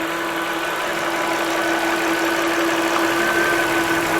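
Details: 2008 Volvo XC70 3.2 liter, after repair of a tea-kettle-like whistling from under the hood: petrol engine idles smoothly and evenly with a steady hum and no whistle.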